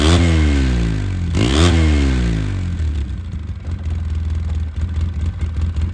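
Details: 2009 Polaris RZR 800 barn find, parked about 5 years, earlier stalled whenever given gas; two quick revs rise and fall cleanly, then settles to an even, slightly lumpy idle; now runs fine.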